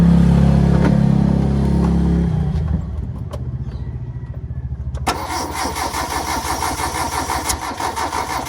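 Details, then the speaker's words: Engine left sitting two weeks that won't start, with jumpered fuses: the starter churns at three to four turns a second but never fires. Fuel isn't pumping up and a dirty fuel filter is suspected; crank, no start. "Walang parang walang umakyat filter. Fel filter madumi hard starting. Walang umaakyat na gasolina ano kaya?"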